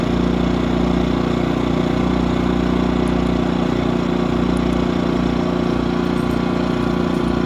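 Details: New Yamaha-powered A-iPower 1800 W running / 2300 W starting inverter generator, break-in run, idling: steady even drone of constant pitch, no misses or knocks; runs smoothly and healthy.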